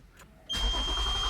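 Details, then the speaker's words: Toyota Avalon cranking with no start even with gasoline fed into the throttle body: steady starter churning with a thin high whine and no firing. "so b ano to so cranking no start ong unit na to so b nacheck nain to kanina sinubuan naming gasolina doon sa intic manifold sa throttle body so wala pa rin walang action yung makina cranking lang siya"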